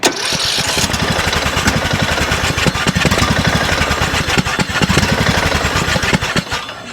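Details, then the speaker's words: 2007 Craftsman LTS 2000 riding mower, engine that was very low on oil, run outside with the choke worked by hand to bring the idle down. The low idle is ragged and hunting with uneven firing, threatening to die. "Now, to me, some of these intakes, they always kind of have a little bit of noise at a really low idle. And I'm trying to just manipulate the choke so that we can get the idle down and listen to the engine."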